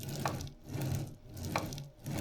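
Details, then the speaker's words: CNC machine ballscrew after alignment: the ball nut rolls smoothly back and forth with only a faint, very slight tick once per stroke. There is no binding or drag, and it is judged well aligned. "Very slight, but it goes all the way on. It doesn't bind. It doesn't drag."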